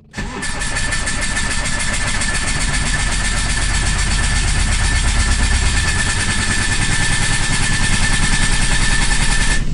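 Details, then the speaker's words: Microcar (voiture sans permis) with a head gasket fault, losing power and coolant: slow, laboured cranking at about 3.5 turns a second that never fires. Not a flat battery; coolant is entering the cylinders. "alors je vous rassure la batterie là on pourrait croire que la batterie est à plat en fait la batterie n'est pas à sa place j'ai tout simplement du liquide de refroidissement qui arrive dans les cylindre"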